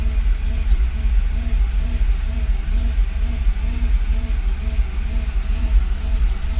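Low, lumpy idle rumble with an uneven pulse and speed that hunts up and down; rough unstable idle, cause not pinned down.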